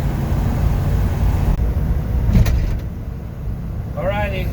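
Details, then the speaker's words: 1970 Ford F250 with 360 V8, after carb tuning and plug regap, driving around town: smooth, even engine drone under road rumble with no sputter or stumble; running best ever, good throttle response. "but yeah this is the best by far the best that's ever run it's not spinning and sputtering"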